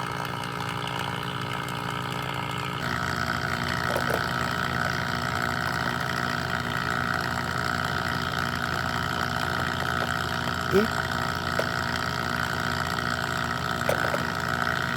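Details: HVAC vacuum pump pulling a system down to 300 microns: constant motor drone with a steady tone and occasional faint clicks; the pump runs smoothly under vacuum.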